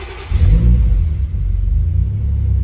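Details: Toyota Chaser 1JZ-GTE VVTi, started with a push-button start after rewiring: starter whirr, then the engine catches cleanly into a deep steady rumble. Starts and idles perfectly with no knocks or bangs.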